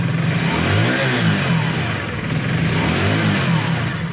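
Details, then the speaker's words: Hero HF Deluxe BS6 fuel-injected bike after fuel pump replacement and ECU reset: single cylinder picks up and settles smoothly under light revs, no stumbling or clatter, engine light off; running properly. "Engine লাইটটা চলে গেছে। গাড়ির টিউনিংও ঠিক এসে গেছে, গাড়ি complete হয়ে গেছে।"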